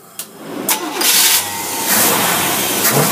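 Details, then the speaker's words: V8 running dual 400 cfm Carter AFB carburetors (2x4), mixture set at 12:1, electric choke on one carb: catches quickly, revs up crisply and settles back without stumble or backfire; starts and runs cleanly. "we're going to fire it up and show you that it works"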